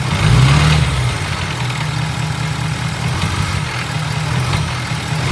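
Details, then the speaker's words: 2017 Ford F250 6.7 Powerstroke diesel V8, warmed up at idle: deep steady rumble with uneven light rattle; injectors tested good, heads off and scoped, cause still unknown. "Got this rattle noise that I cannot figure it out."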